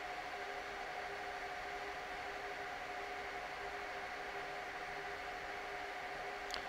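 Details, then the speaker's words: Dell R610 server at no load, mic at the front, about 74 dB: steady, loud fan rush with a constant whine, fans at excessive speed because a failing ambient temperature sensor reads 40C in a 23-25C room. "this particular one has a problem the fans are running unusually high and I don't know if you can hear it through the mic but it's actually very very loud"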